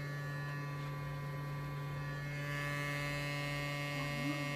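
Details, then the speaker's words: Fluid Audio C5 studio monitor speakers giving a steady low electrical buzz whenever a game is launched: strong low hum with stacked higher overtones, unchanging, persisting after troubleshooting. "every time that I launch a game I was having this buzzing sound like this"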